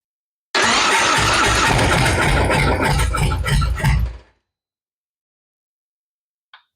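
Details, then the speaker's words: High-mileage Harley-Davidson V-twin that stopped running while being ridden, battery pretty flat, awaiting S&S Power Plus kit: starter cranks steadily about three turns a second for some three seconds but the engine never fires; cause not yet diagnosed. "As you can hear, she's pretty unhappy. She doesn't want to start."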